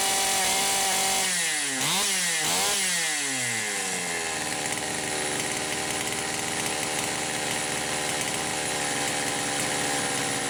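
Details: Poulan Pro 525 chainsaw (essentially Pioneer P52), no load, mixture about 1⅛ turns open, possibly lean: revs climb in quick blips, then high scream breaks into rapid uneven burble; carburetor governor cutting in.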